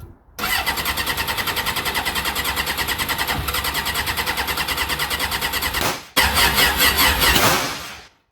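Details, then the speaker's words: 1996 Suzuki GSX-R 750 SRAD, carbureted, mostly original, does not run: steady starter cranking, a brief catch, then a sharp loud exhaust backfire and it dies. Owner believes unburnt fuel is igniting in the exhaust and suspects a dud spark plug or possibly a coil. "Nice backfire there, so we can see that the fuel isn't igniting, sitting in the exhaust and causing the backfire. So we've probably got a dud spark plug, possibly a coil."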